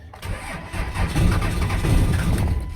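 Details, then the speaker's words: 5.9L 24-valve Cummins diesel, fuel contaminated with water, rotted ground wire found and replaced: steady starter cranking with an even low chug, never firing, on one old battery until power ran out. Cranks but no start. "Oh, ran out of power. Okay, gonna give this another minute, charge back up."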